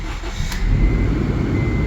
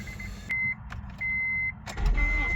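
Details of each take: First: Car that had a misfire, fixed by swapping in a known-good spare cylinder head, torqued down; started on a cold day with the heater on full, it catches quickly and settles into a smooth, even low idle with no stumble or misfire, running really good. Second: Acura with a newly replaced battery: aftermarket alarm chirps, then the engine idles with an uneven stumbling misfire that smooths out when given more gas. Owner suspects a too-tight valve or a bad spark plug.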